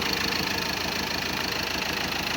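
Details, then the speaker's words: Ford Ranger 2.2 TDCi diesel after engine rebuild with all four injectors repaired, radiator and coolant now fitted: even, steady idle clatter with regular beat, no shaking or misses; normal diesel idle. "አይንቀጠቀጥም፣ ምንም አይልም። በጣም ምርጥ ነው ድምጿ።"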